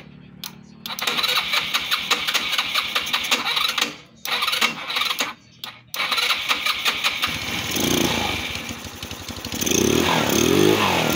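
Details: Motorstar Easy Ride 150 that had no idle, high then dying idle and heavy fuel use, after auto choke fix and covering the air hole: engine fires, takes sharp throttle blips and drops straight back to a steady idle without hunting or stalling.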